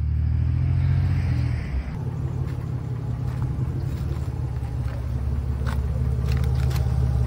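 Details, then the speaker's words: Old GM V8 after overheating, temperature gauge pegged in the red, coolant lost, belts squeaking, no power steering: deep idle rumble with a light uneven bottom-end knock that was not there before; lower-end damage suspected, not confirmed. "No power steering, and now I got a knock. A light knock at the bottom end of the motor. Light knock or heavy knock. A knock is a knock."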